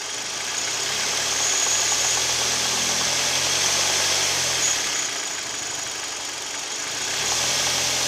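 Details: Kia G4KD (Hyundai/Kia Theta II) engine at idle with AC compressor and mirror, glass and seat heaters loading it: sharp regular ticking knock three or four per second, suspected piston knock; engine knock.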